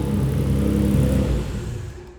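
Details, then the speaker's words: Nissan GT-R held at about 3000 rpm: a deep rod knock under the roar that quickens with rpm, then winds down, while oil pressure reads normal. "so as you guys just heard that is rod nock I mean it gets faster with the more rpms"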